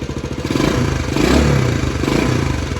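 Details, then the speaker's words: 1979 Honda CT90 Trail 90 after carb slide swap and battery fitted, carb bowl leaking, choke on: catches on one kick, revs up with a steady crisp beat, no knocks, then choke off; normal start-up, carb rebuild kit to follow. "I got to say I am in shock myself this thing fired right up I turned the choke off sounds good"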